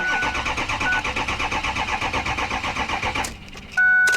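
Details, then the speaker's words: Ex-police RAM 2500 HD diesel, hot, with 357,000 miles: steady starter churn, about six even compression beats a second for three seconds, never catches; owner suspects it lost its fuel prime, not confirmed. "it probably probably lost its prime I find that all the time out here"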